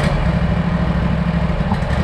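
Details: Mower that cuts fine and no longer leaks oil, idling with an uneven, sputtering putter instead of a clean steady run; rough puttering idle, owner suspects a stretched throttle cable needing adjustment, not confirmed.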